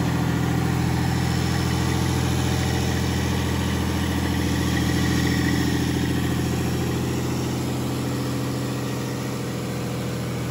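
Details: FPT Cursor 16 1000 marine diesel, inline six 15.9 L common rail, 1000 HP rated at 2300 rpm, first run in Australia, idling about 600 rpm and given a rev: deep, steady rumble swelling with throttle, no knocks, misses or rattles; quiet, healthy engine.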